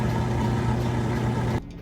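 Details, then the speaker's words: Kenmore stacked laundry center washer, final spin with the drain running: a smooth steady low motor hum, no thumping or grinding, before it winds off; fast, balanced, normal spin. "You can still hear the drain running, but it's got a nice fast spin, smooth and balanced."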